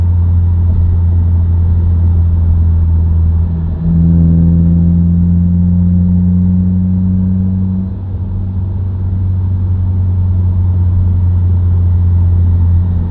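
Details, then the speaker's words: Subaru WRX, inside cabin while driving: deep steady drone over road rumble with a higher tone swelling, independent of gear and revs, ramping with speed; dealership diagnosed broken center diff viscous coupler. "a humming noise, or like a whining noise that isn't dependent on your gearing or your revs. So you'll hear it just all the time."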